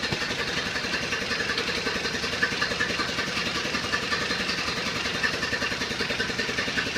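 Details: 1931 Ford Model A, stored unrun in a barn for over 10 years, now on a replacement 6-volt coil with retimed ignition and battery-charger assist: even, steady idle chuffing about two and a half beats a second, running smoothly; normal idle.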